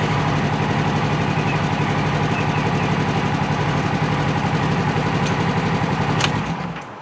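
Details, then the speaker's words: 2017 Polaris RZR XP 4 1000 with a friend's ECU swapped in, no warning lights. A steady, even idle beat with no misses or knocks, then a clean shutoff, so the fault points to its own ECU. "I got his back in no lights and it runs perfect does"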